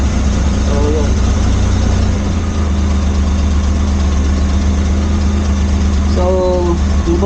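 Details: Suzuki Multicab after refitting the carburettor to cure a crank-but-no-start: steady, even low idle hum with no knocks, misses or hunting; idling smoothly.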